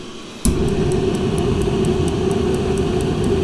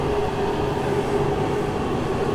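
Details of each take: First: Masterforce 20 V 60,000 BTU portable forced-air propane heater, in a garage around 43.7°F: fan roar with repeated igniter ticks about three per second before burner catches; needs about 10 seconds holding for enough fuel to reach burner. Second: Masterforce 20V 60,000 BTU portable forced-air propane heater on full power in a garage: loud, steady roar of fan and burner with constant low hum, no surging or sputter; running properly on high.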